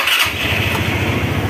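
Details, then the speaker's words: Motorstar ADV 175 at about 1,419 km, after a no-start caused by a dirty, non-contacting switch was cleaned with contact spray: the starter whirs briefly, then it catches at once into an even, steady single-cylinder idle. "Oh ayos na. Paandar na yun guys."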